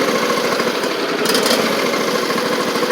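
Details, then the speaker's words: John Deere LA130 with Briggs V-twin, about 654 hours, after a cylinder head swap for a bad valve guide that left it on one cylinder: still warming up, it idles with an even patter on both cylinders and no misfire gaps; normal idle. "you can hear it sounds pretty good running on both cylinders now too which is good"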